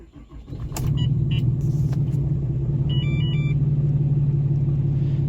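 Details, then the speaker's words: Customer diesel pickup, cold start with grid heater: deep, steady low rumble settling after startup, even rhythm, no knocks or misses; runs good. Normal diesel idle. "Listen to that. This runs good."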